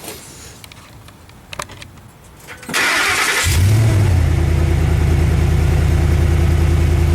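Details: Petrol truck with MagnaFlow dual side-exit exhaust, after exhaust leak repair with clamp: cranks, catches and settles into smooth even idle with no exhaust ticking or puffing.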